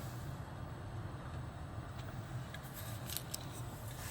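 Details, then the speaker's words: 2013 Toyota Highlander 2WD, 117,000 miles, after an aftermarket blower motor replaced a bad one that clicked in the cabin. Lowest fan speed: quiet steady hum and soft airflow with no clicking. Normal blower operation. "this is the low oh yeah my friend it's moving but not excessively I don't think this is too much but this is a normal sound"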